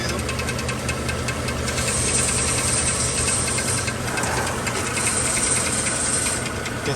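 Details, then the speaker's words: 2013 Chevrolet Silverado 1500 5.3 L V8 idling with a metallic knocking rattle, mistaken for a flywheel/flex plate fault but caused by the starter drive gear staying engaged with the flex plate. "bueno este es el problema de esta troca ese ruido que parecía que era el volante flywheel flex plate resultó sobre esta cosita de estar en arranque marcha como le llamen"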